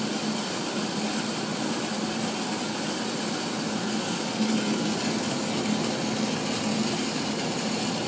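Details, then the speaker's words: 1980s Tefal Spinmaster spin dryer (Calor, France, 2,200 rpm max) spinning rinsed towels with lid closed; smooth even whirring with steady low hum, no knocks, rubbing or wobble, strong airflow out; normal spin. "you see i actually feel the wind coming out of here for a tiny spin dryer it holds a lot"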